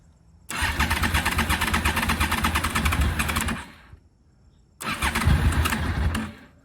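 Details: 2003 Honda VFR800 5th gen V4, first start attempt after 8 years of storage, fuel pump refitted and tank leak fixed: cranks, catches into a rough lumpy run, dies, then fires again; water suspected coming from the exhaust.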